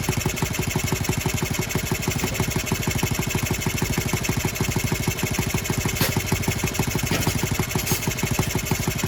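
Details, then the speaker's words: Honda Z50R restoration, first start with muffler fitted, no choke: quick, even metallic rattle on every idle beat; owner first blamed exhaust gasket, then found the cylinder head loose; rattle from loose cylinder head. "that's just the exhaust uh the gasket they're rattling let's tighten that up with a wrench"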